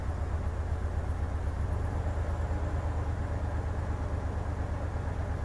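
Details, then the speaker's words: 2003 Hyundai Terracan V6 petrol at idle during a cylinder cut-out test. Cylinders one to five each drop rpm, but cutting cylinder six gives no change in the steady rumble. Cylinder six is dead and causes the misfire. "definitely nothing dropping on number cylinder six number six cylinder has no drop"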